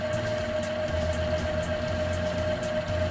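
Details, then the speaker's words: Panasonic AG-1970 VCR rewinding a VHS tape that sticks and won't play past a certain point: speed ramps up into a steady whir with a constant thin tone and faint regular ticks, holding even; the tape spools smoothly on rewind. "let's rewind it to the beginning it's ramping up speed sounds like it's going on pretty evenly"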